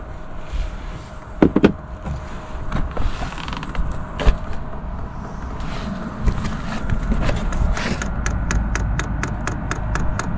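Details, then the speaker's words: Chinese diesel night heater in a self-built campervan, priming: quick even clicks, four or five per second, from the fuel dosing pump pushing fuel through the line before first start. "so you push okay and down and then I believe you push up till it comes on and I can hear the fuel pump clicking away"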